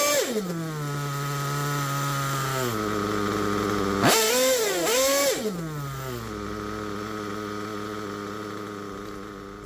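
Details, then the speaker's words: Worn Picco P3 DLC nitro engine, almost 10 gallons run, new bearings and con rod, damaged sleeve and block, worn crankshaft: high, fairly steady idle with one quick rev, slightly uneven; temperature good, holds idle but far from perfect; rear bearing may fail soon. "well I think that it's running pretty good the temperature is good it's holding the idle up to idle is not perfect far from"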